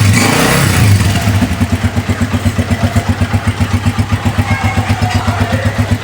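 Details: Honda 125 Special Edition with the battery charged and refitted: the self-starter spins briefly, then the engine catches into an even single-cylinder thump of about four beats a second; the battery is fine and a rectifier fault is suspected.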